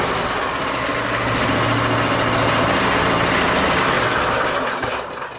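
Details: Rototiller single-cylinder engine after carburetor cleaning, started cold on choke, not yet warm: steady even beat at fast idle with no misses, then dies away; running pretty good.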